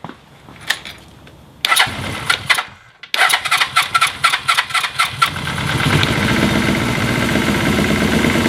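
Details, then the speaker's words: Engine with leaned carbs, hot: uneven cranking bursts, then catches and runs rough with a faint airy whistle from the right intake; owner suspects a leak or crack in the head there. "today working on him i'm starting to hear a uh an air or whistling or sound it's kind of like when you take an air can and blow it into a small cavity that little type of sound coming from over here on the right side"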